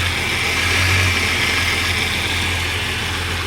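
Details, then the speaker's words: 1989 Jeep Cherokee 4.6L stroker I6 (4.0L based), first start after replacing one piston for piston slap; the engine had started knocking after 700 miles. It now gives a steady, smooth low idle with no knocking or slapping. "No more noise, baby. No more noise! Ah! Yes! Oh, thank God."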